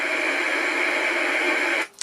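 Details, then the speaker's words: 1964 IBM 214 Executary portable dictation machine on bench power supply, lever in listen position with mic button pressed: only flat steady white noise, unchanged by volume control, cutting off abruptly; amplifier fault. "all you get is white noise and that white noise doesn't change even if you move the volume parts so there's obviously a problem on the amplifier somewhere"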